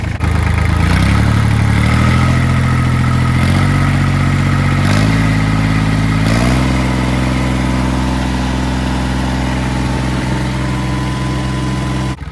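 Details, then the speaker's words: Kubota L3000DT tractor diesel, replacement used engine, fuel line bypassing weak lift pump straight from full tank: steady even clatter, low rumble stepping up slightly then holding smooth; healthy idle. "I got fuel up here now. Sounds healthy. pumping. My bolts are falling."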